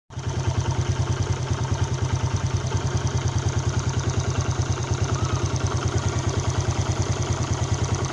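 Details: Yamaha Jupiter Z Robot engine idling with a hard, harsh pulsing beat about three per second and a clattery edge, being diagnosed; a Vega ZR one-way clutch was fitted. Source of the rough noise not pinned down.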